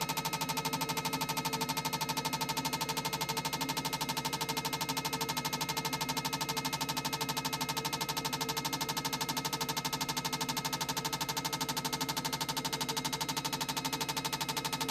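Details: Honda RC45 RVF750 injectors on a flow bench after about 10 years of storage (bike ran on 2 of 4 cylinders). Fast, very even metallic ticking at about three a second, steady throughout; injectors pulse cleanly and consistently.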